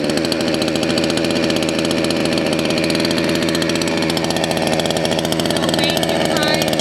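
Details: Salem Master chainsaw carburetor adjustment: the low-speed jet is leaned out too far, giving a fast, buzzy, high-revving idle that sounds happy but loses top end, and the chain creeps; idle needs adjusting until the chain stops.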